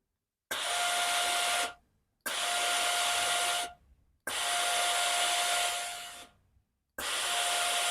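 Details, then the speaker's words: Philips steam iron: each press of the steam button gives hissing bursts with a thin whistle, and steam comes out weaker than before though the pump works normally. Scale clogging inside is suspected, with red specks visible in the steam passage. "เวลาเรากดไอน้ำทุกครั้งนะครับจะได้ยินเสียงวีดวี๊ดเหมือนเคแบบว่าอยากจะออกมาเต็มที่นะครับแต่ออกไม่ได้นะครับ"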